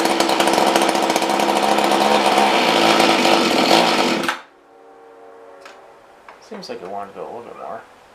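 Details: Mantis rototiller two-stroke that won't rev up: buzzy fast run then abrupt cutout; stalling, dirty carburetor suspected, needs cleaning; gaskets later blamed.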